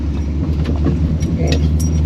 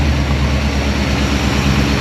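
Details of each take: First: Holden HT with a swapped-in 253 V8 on its first drive, going around a corner. Earlier it was missing and the engine was chattering a bit; now there is a low, even drone with light cabin rattles and no stumble, and it runs fairly well. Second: Holden HT with 253 V8 swap, first start after long sitting, warming up, some smoke: deep idle with uneven lumpy pulse, possibly not running on all eight cylinders; rough idle.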